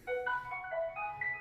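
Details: Whirlpool dryer WED92HEFC2, fully reassembled after replacing belt and drum wheels: short rising tune of clear electronic notes lasting just over a second at switch-on; the control panel's normal power-on chime.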